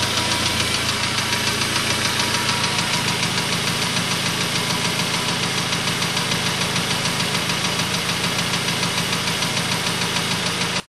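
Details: Suzuki Aerio at idle with hard, even metallic knocking about three and a half per second: rod knock from a spun bearing; engine later replaced under warranty.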